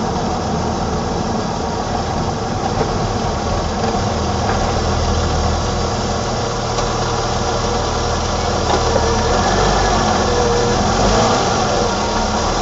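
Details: 1987 BMW E28 520i, M20 2.0-litre inline-six (129 PS), nearly 400,000 km, now running excellently; recorded on a phone with good low-frequency microphone; even, steady idle of about four pulses a second, smooth low hum, no misses or knocks; normal idle.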